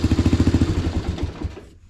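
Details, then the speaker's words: 1985 Honda Fourtrax 250 with a new drive shaft and rebuilt rear end, running after a test drive: a steady, even single-cylinder thump at idle; it starts up and runs well. "I just went and took it on a little test drive, but starts up and runs good."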